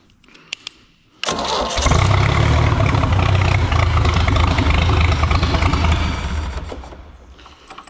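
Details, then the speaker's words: Old Mercruiser 3.0 marine engine with fairly new plugs, before a compression test: quick crank, clean catch, then it runs steadily for several seconds on leftover fuel in the bowl before winding down. Normal start. "okay I guess there's still some fuel in the bowl well you know that it RS now I wasn't going to fire it up but I guess I did cuz I already heard it run"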